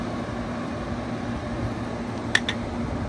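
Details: Curbside 2012 LG 6,000 BTU R410A window air conditioner, cleaned with a replacement cord, at first startup: steady, even fan rush and compressor hum with no knocks or rattles, a couple of brief clicks; running normally.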